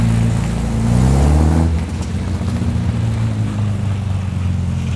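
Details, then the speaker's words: 1966 Triumph Spitfire MK2 after correcting swapped plug leads (firing order 1-3-4-2), previously running on two cylinders with a misfire: quick clean rev then steady even idle with no stumble; normal running. "So, after car did the magic, this is what the car sounds like."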